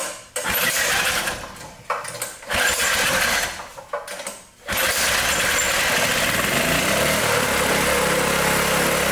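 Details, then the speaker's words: Briggs & Stratton lawn mower engine that would not run, cam timing and lobes good: started without the compression release fitted, catching after a few uneven pulls into a steady run; much easier starting points to a faulty compression release, suspected. "I think it's that compression release. We're going to find out here in a minute. All right, let's see if it'll start without that compression release on there."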